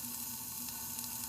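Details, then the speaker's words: Built Honda H22 engine in a 1992 CB7 Accord on a leak-down test, one cylinder below 50 versus about 65–70: steady fizzing hiss of air escaping past number one exhaust valve, bubbles showing valves not sealing; valve leakage. "and you can hear right in here that there's air coming out of the number one exhaust port but you see the valves they're like they're not a ceiling all the way there's bubbles coming up through there"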